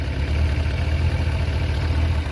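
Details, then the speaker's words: Kawasaki ZZR1100 engine at idle: fast light metallic chatter over steady idle from camshaft holder bolts loosened in worn aluminium cylinder head threads after repeated removal; fixed with Helicoil inserts; valvetrain rattle. "when it's uh engine is operating it will uh shake the uh the the m in the mounting holes and it will loosen uh the thread so then uh yeah it starts rattling"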